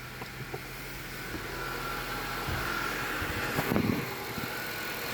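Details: 2012 Honda CR-V 2.4 K24 after timing kit replacement and valve adjustment to cure VTC rattle: engine cranks, catches and settles to a steady idle with no chain rattle at start-up; normal start-up.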